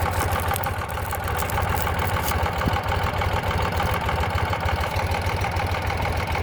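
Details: 2009 Ural Sahara Limited Edition 2WD sidecar, carbureted twin, under 9,000 km, kick-started without enrichment shortly after running, chilly day: even low thumping idle at about three pulses per second, steady with no misses or knocks; healthy.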